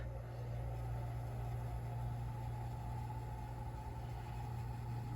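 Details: Goodman HVAC system at a no-cool call, first full fire-up of the blower after checking its rotation: a low, steady hum with a faint even whir holds constant with no rubbing or surging. Blower is running smoothly.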